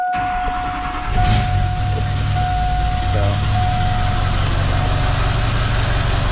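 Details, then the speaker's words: Chevrolet Duramax LB7 diesel pickup, hard starting: catches after a crank and idles with an uneven, loping knock from a dead cylinder, missing badly and laggy with pedal to the floor; injector issue diagnosed. "can tell it's missing pretty good. And this is the pedal right to the ground here. So as y'all can tell, pretty stinking laggy, and we've definitely got an injector issue."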